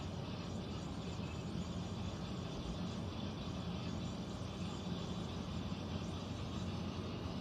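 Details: Central air conditioner indoor unit, heard in a bedroom and seeming to come from above the closet, gives an even heavy low-pitched roar with a faint steady hum and no knocking; abnormal rumbling, cause unclear, possible leak questioned.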